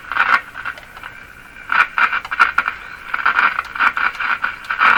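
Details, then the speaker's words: Sears Silvertone model 3351 five-tube radio at first power-up, about 103 volts: irregular scratchy rasping bursts as the dial turns, crackling over a faint hum; suspected short or rubbing in the tuning capacitor, or possibly its grounding contacts. "Something rubbing. Sounds like a short in the capacitor. Because here you can hear it picking up noise signals."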